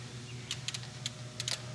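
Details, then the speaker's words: Nissan R32 Skyline, RB25 harness converted to RB20, not run for 4 years and failing to start: cranking with engine not running, light consistent clicks of fuel injectors firing over a low hum, but the coils are not firing. "you hear the uh ejectors clicking so what that tells us is the camera which is probably fine right because they're they sound like they're clicking pretty consistently"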